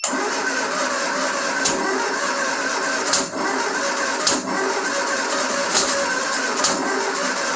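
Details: 1974 Triumph Spitfire after a Zenith Stromberg CD150 carb rebuild, timing being adjusted toward 15° BTDC: cranks with sharp, irregular catches but never picks up, burping back; two plug leads were swapped in the firing order.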